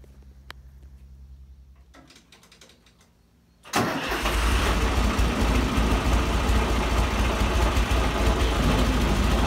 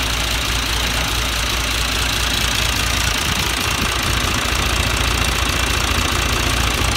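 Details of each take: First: John Deere 2040 tractor diesel with a bad water pump bearing that wiggles: fires after a few seconds and settles to a rough idle with a fast steady rattle from the water pump; worn water pump bearing rattle. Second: John Deere 2040 tractor diesel after water pump rebuild and coolant refill, steady even clatter at constant idle with no misses or surging; normal idle.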